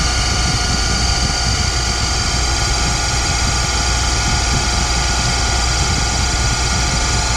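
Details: Boyar Schultz Challenger surface grinder with motor refitted: steady, even whine with several high-pitched tones over a constant hum; motor judged fine, spindle bearings suspected unhappy.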